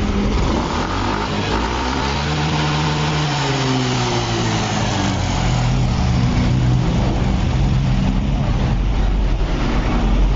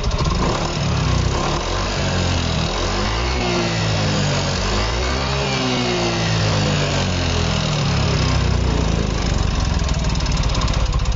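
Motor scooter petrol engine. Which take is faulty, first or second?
second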